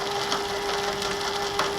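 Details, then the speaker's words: Hobart Handler 125 welder wire feed motor, drive gear stripped to about 4 of 10–12 teeth: constant mid-pitched whine with rough gritty chatter and uneven catches about once a second; output shaft turns jerkily. "look how jerky that is trying to weld like that with it jerking holy crap that's a pain in the butt it's not smooth at all"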